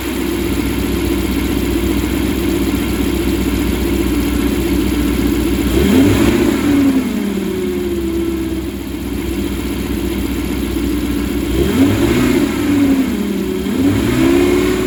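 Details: 2014 Ram 1500 V8 with 68k miles after a non-MDS cam and lifter swap: steady whine at idle that rises and falls with throttle blips, persisting with the belt removed, so internal to the engine; owner suspects camshaft whine.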